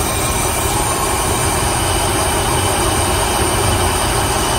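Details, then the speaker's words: 2004 Dodge Ram 1500 4.7 V8 that misfired on cylinder 4 from a cam follower spit out by a likely collapsed exhaust lifter. After reinstalling the follower temporarily, it idles steadily with no tick or miss and steady 16 inHg vacuum. "it's running much better i just threw the valve cover back on"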